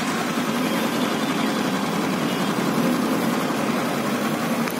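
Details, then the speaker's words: Engine after an engine rebuild, running two to three days later: even, settled idle with no tapping or rattle and a steady pitch. A slight noise at starting has now stopped, normal idle after repair. "तो engine का sound भी एकदम complete हो गया है starting में थोड़ा normal आवाज़ था लेकिन वो भी अभी बंद हो गया है"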